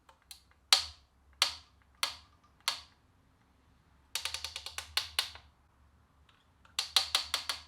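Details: BMX bike headset popping as the handlebars turn: sharp, crisp pops from the front end. Suspected causes are a headset that is too tight, making the bearings bind, or damaged forks or bearings, pending teardown and inspection.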